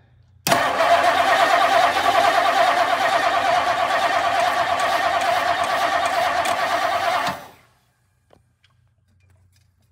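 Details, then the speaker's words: 1959 Lincoln with a new ignition switch: steady, rapid starter cranking for about seven seconds, never catches; crank no-start, with a known-weak fuel pump suspected dead, or a stuck float or needle and seat. "we've known the fuel pump is weak I'm curious if this it's now dead"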